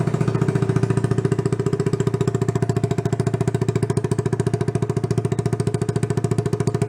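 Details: 1977 Honda Trail 90, sat 37 years, started after fuel poured into the plug hole, exhaust being repaired: even, regular putt-putt idle at about three to four pulses a second, no knocks or misfires; normal idle of a healthy single.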